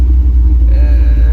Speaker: Man, that cam chopping, this thing ain't been out for so long, man.